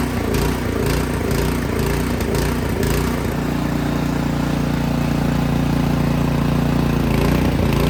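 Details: Craftsman snowblower that would start then die, after spraying carb cleaner into the main jet without removing the carburetor: revs drift up and down, hunting and surging; something still clogged.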